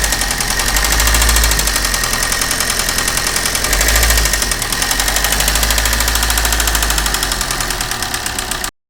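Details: Maruti Suzuki Ritz with an engine noise problem. Fast, regular metallic ticking rides over the idle at a steady pace; clear engine knock, cause not pinned down.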